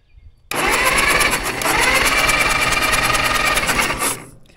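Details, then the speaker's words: Caterpillar dozer parked since 1992, gasoline engine with magneto: about four seconds of steady whirring cranking that never fires; no spark, so magneto breaker points to be cleaned. "all right so there was no spark so we have to take off the air cleaner and a bunch of other stuff to get the cover off of the Magneto"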